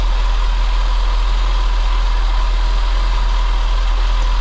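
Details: Saab 9-5 2.3 turbo idling after fitting a new aftermarket mass airflow sensor; the old MAF made it idle sporadically. Steady, even low rumble with no hunting or stumbling; smooth, settled, healthy idle.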